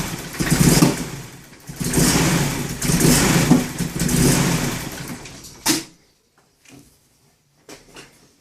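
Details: BMW E30 318is (M42/M44) rough idle: idle surges and sags about once a second, then the engine shuts off. ICV cleaned and crank position sensor changed; has a coil-on-plug conversion and the owner suspects a coil pack, unconfirmed.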